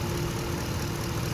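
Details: 2013 Lexus LX 570 (Toyota) that had a crank-no-start from a misplaced EFI relay; smooth, steady low idle with an even beat and no knocks, misses or stumbles; engine idling normally.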